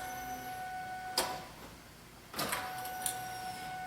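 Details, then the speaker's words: 2000 Ford Mustang no-start after new fuel pump and filter, key on: faint steady hum with a couple of clicks from the rear as the pump primes; normal, about 50 psi priming, around 30 running. "Anything, guys? Pretty sure I hear the fuel pump back there. Alright guys, prime the fuel pump a couple times. We got fuel pressure."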